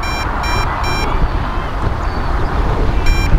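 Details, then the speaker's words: MJX Bugs 2W GPS FPV drone controller, after return-to-home was pressed with the craft far away: short high beeps in quick bursts over wind noise, warning of lost signal. "let's see if we can get back and connect because it looks like you lost connection with the craft way over there"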